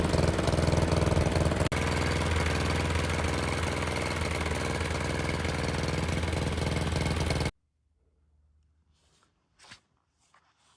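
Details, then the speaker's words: Toro mower with Briggs & Stratton engine, model 104M02-0010-F1, after reed valve replacement fixed oil blowing through air filter: runs with a heavy, slightly lumpy beat about seven seconds then cuts out; carburetor issue suspected. "The motor itself's not running very well. Um, that sounds like it could be a carburetor issue, which is something I'll cover in a different v"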